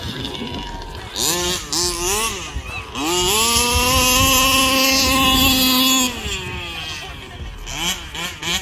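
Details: Rovan Baja 5B RC car, stock Rovan 29cc two-stroke with Rovan Dragonfly pipe, run after troubleshooting a won't-start fault and break-in heat cycles: buzzy revs up and down, then a crisp high wail without stumbling; normal, strong running.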